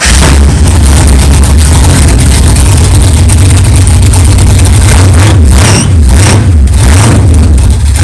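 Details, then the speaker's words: 1964 Chevelle 383 stroker V8, first fire-up after 8-month build, fresh power steering pump and carburetor, 11° timing, 63 lb oil pressure: deep steady idle with smooth blips, no clanging or knocking; runs good. "wow thank God it runs it runs good sounds good no problems no clanging"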